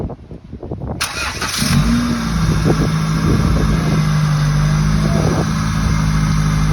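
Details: Freshly rebuilt Honda B18C1 GSR engine swapped into Integra LS, first start: brief crank, catches cleanly, settles into a smooth even idle with no knocks; normal.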